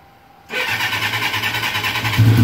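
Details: Suzuki GS1100E Mr. Turbo, first start since 1996 after chain, brake and tank work, with starter fluid and a little choke: starter whirs briefly, the four catches at once and settles into a steady, even throb.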